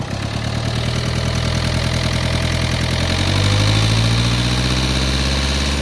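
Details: Renault Lodgy diesel, previously overheated with head gasket refitted using paste: idling with a hard, uneven clatter about three to four knocks a second over the rumble, cracked piston slapping and valves hitting.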